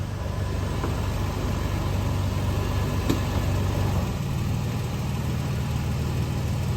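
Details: Late-model Toyota Tacoma after a clamp refitted with a bolt, idling in gear with a touch of throttle: steady, even low engine hum, no rattle or buzz; fixed.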